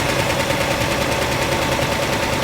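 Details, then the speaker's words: 1960 Ford Starliner with a new Holley 600 CFM carburetor, after the distributor was moved: rapid, uneven popping and crackling like gunfire over a lumpy idle. The ignition timing is way early, so the engine runs rough while the distributor is adjusted. "so my grandpa moved around the distributor and then the engine started sound terrible did it always sound that bad that sounds really bad"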